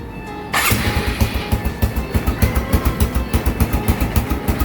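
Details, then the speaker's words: First-generation Honda Supra X 125 electric start: brief crank, fires at once into steady even single-cylinder putter about three and a half beats a second; very responsive starter, engine smooth with no odd noises. "Pastikan kalau kalian mau beli Skystarter langsung hidup dan enak kayak gini. Nah, sangat amat responsif guys."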